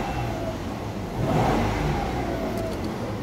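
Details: Mitsubishi Mirage idling with an uneven, lumpy beat from a dead No. 1 cylinder, codes P0301 misfire and P0261 injector circuit low, caused by a broken wire at the injector 1 socket.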